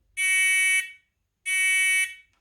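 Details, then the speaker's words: Renault Spider indicator tell-tale project, bench test of another candidate buzzer: two steady low-pitched beeps of about 0.7 s each, about 1.3 s apart. A lower-tone option, working normally. "and then this one here is a lower tone"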